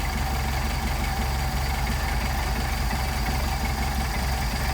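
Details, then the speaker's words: Mercedes 190SL with Solex carburetors at idle: turning idle mixture screw in or out makes engine labor and stumble roughly with lumpy irregular beat, then backing it to midpoint gives smooth idle; incorrect idle mixture setting. "the start stumbling labor put it back in stumbles again screw it back out where we get a nice smooth idle"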